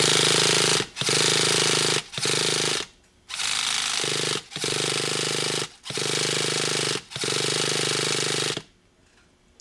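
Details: Used Traxxas Revo 3.3 nitro RC truck with fresh fuel, a new glow plug and the carburetor primed. Repeated buzzy bursts of high-pitched starter whirring with no firing; the battery is dying. Cranks but won't start.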